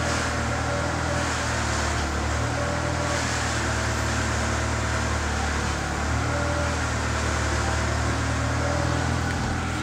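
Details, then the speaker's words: Car suspension on the road after replacing the stabilizer links and upper and lower ball joints to cure an annoying noise: steady low drive drone, no clunks or knocks; the noise is gone and the suspension sounds quiet and healthy. "so far so good i don't hear the noise"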